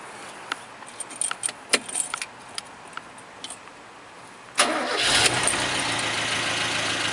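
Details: 1974 Ford Courier pickup, budget-restored with small 35-amp alternator: a few light clicks, then the engine catches at once and settles into a steady, even idle with no knocks or misses.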